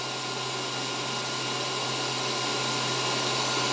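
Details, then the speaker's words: WULF PCP air compressor during setup, before filling: steady even airy whoosh with constant hum, cooling fan running normally and drawing in cool air, temperature reading dropping from 18°C to 17°C; normal fan operation. "the temperature will fluctuate as the motor turns or as the fan motor comes off but we just want to see that it's changing temperature and that it's sucking in cool air"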